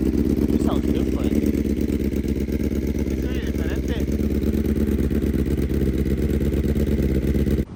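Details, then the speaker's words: BMW S1000RR inline-four replacement engine, first start after install with an engine-fault code; lumpy, uneven beat over a steady drone like a cylinder dropping out. Owner suspects a coil still out; misfire, cause unconfirmed. "right, we're having to test it real quick because, you guys didn't hear how it sounded before with the scratched head, but it sounds about the same. It's like, to me, it sounds more like a coil still out."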